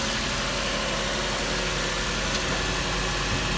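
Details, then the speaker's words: 2006 Lexus RX330 V6 after high-pressure power steering hose replacement with upper intake removed, started to check for check engine light; steady even idle, no misses, knocks or whine: normal idle. "well sounds like the front is pretty good"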